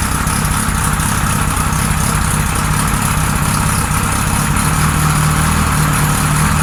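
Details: 1978 Kawasaki Z1-R four-cylinder on the stand, first start after carbs installed, idle raised, no enricher: slightly lumpy, uneven idle that won't settle; synchronizer shows carbs 1 and 4 good, 2 and 3 out of sync.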